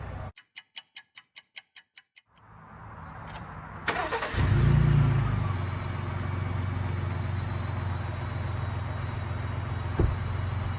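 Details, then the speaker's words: 2018 lifted Ford EcoBoost truck after an oil change with PROLUBE oil treatment and earlier cam phaser replacement: chimes, then it cranks, catches and settles to a smooth low idle with the previous rattle and tick gone. "quiet that is amazing I cannot believe that the rattle is actually gone now it gets even quieter once the initial starts over with"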